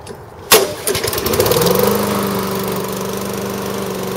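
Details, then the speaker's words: Toro lawn mower with Tecumseh engine after repair: one pull, fires right up, holds steady even drone without surging or hunting; normal running. "As you can see, it runs really well."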